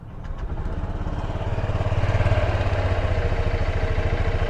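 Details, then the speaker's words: New Honda Click 125i scooter at 765 km on the odometer, start-up: engine catches and settles into a steady, even idle of about three and a half pulses a second, with no rattle or knock; normal, quiet engine. "So ganyan yung tunog niya kapag nag-start tayo sa kanya."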